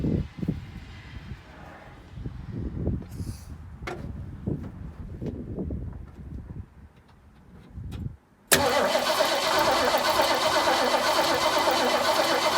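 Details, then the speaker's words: 1968 Mustang after sitting 8 years, new battery, rock-hard fuel line cut and rerouted to the fuel pump: slow cranking with soft, irregular thumps, never catching; cranks but no start, owner suspects insufficient fuel, a gummed carburetor or a stuck seat. "Okay guys, we got no noises coming, but I don't know if it's pushed enough fuel up there."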